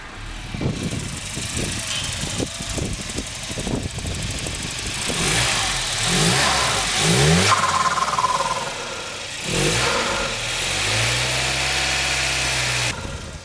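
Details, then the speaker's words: Volvo 940 turbo after fitting a new 3-inch MAF pipe, squeezed onto the old turbo pipe, and an air filter: revs rise and sag unevenly with a ragged pulse instead of a clean idle, then it stalls; rough running. "And we've killed it. Okay, what's going on there? I mean, that should be working. I mean, it's running."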